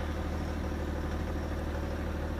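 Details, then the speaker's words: Car engine after RVS Technology coating treatment and half-hour break-in drive, first cold start next morning: low, steady idle hum with no misses or stumbles; earlier cold idle intermittently ran rough, now seemingly gone: normal cold idle. "Aikaisemmin kylmällä koneella tässä oli semmonen, että se välillä pyöri karkeammin. Sitten se ääni taas pehmeni ja pyöri karkeammin."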